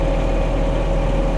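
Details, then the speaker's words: The reefer unit's own diesel engine on a DAF LF 210 refrigerated truck, said to be the quietest in its class: steady deep drone, even and unchanging with no knocks or misses; a normal idle. "серьезный звук дизельного двигателя. И представьте, это еще самый тихий в классе дизельный двигатель у автономной холодильной установки."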